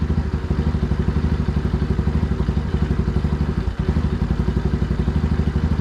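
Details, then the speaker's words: Small engine on 607 lb tractor: low chuffing, slightly uneven heavy idle about four beats a second; best idle with mixture screw fully in, too rich, smaller slow jet needed. "too rich yep so we need a smaller slow jet all right so we need a smaller slow jet"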